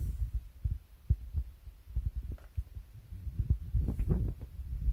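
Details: Synology DS115 NAS, audio boosted: soft irregular low thumps about twice a second over a quiet hum, defective clicking from the drive bay, cause unknown.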